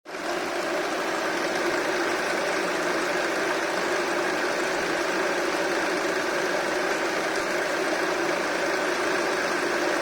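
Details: Honda Accord with K24 petrol engine idling with a dense, steady metallic rattle throughout.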